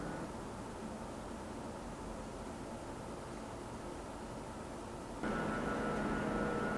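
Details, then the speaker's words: Cyberpower Ultra R77 Pro prebuilt (Ryzen 7 7800X3D, RX 7900 GRE) in a 3000D Airflow case: soft airflow rush at a fixed 1000 RPM, then a louder default curve with the RGB front fans giving a whiny, resonating hum. "The included RGB front fans in the 3000D airflow are not of the greatest quality, and while spinning at 1800 RPM, they do emit quite a whiny, resonating hum."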